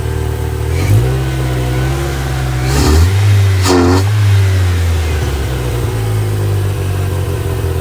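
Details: Ford Ranger 2.3 after cleaning the MAF sensor, throttle intake and air filter and fitting new plugs, wires, coil pack, PCV valve and throttle position sensor: uneven idle that dips and surges with stumbling rev blips, sputtering and bogging; a loose vacuum line was found, cause unconfirmed.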